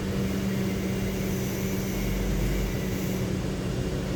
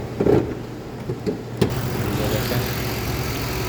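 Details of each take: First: 2007 Lincoln Town Car V8 after replacing faulty cylinder 7 ignition coil: steady even hum, low drone, no dropped beats; no misfire, codes cleared. Normal running after repair. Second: 2007 Lincoln Town Car V8 idling unevenly with irregular thumps; codes for ignition coils A, B, E, G and P0300, live data shows current misfire on cylinder 7 (bank 2), coil suspected.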